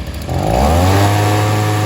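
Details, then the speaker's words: Stihl SH 55 handheld two-stroke blower/vac after tune-up and carb adjustment: spins up fast to a steady, clean high-pitched buzz with no stumble or surging; fixed. "as you guys could see just needed a bit of a carb adjustment as well"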